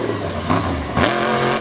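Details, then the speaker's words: Ford monster truck racing at Brownstown Speedway: revving engine under load, one sharp pop mid-run then recovers, later more popping; backfire, possible fuel problem suspected. "backfire out of the engine right there"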